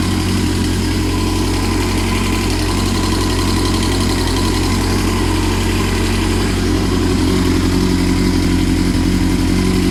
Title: What is this ticking noise. Gets louder when revved up